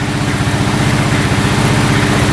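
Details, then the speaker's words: 2012 Honda Rancher 420 4x4 ATV running without its air filter, slightly lean with occasional backfire: small single-cylinder engine idles with an even steady low thump, no knocks or rattles, no codes, no oil leaks; sounds normal. "Well, sounds pretty good. Sounds really"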